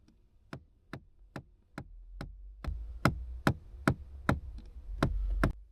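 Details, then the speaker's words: Seat Ibiza 1.6 diesel (possibly CAYC) at startup: sharp, regular knocks about twice a second from under the dash for about 20 seconds, from a heater flap actuator with a broken gear. "But apparently we've got a knocking noise as you start it, and it lasts about 20 seconds and then goes away."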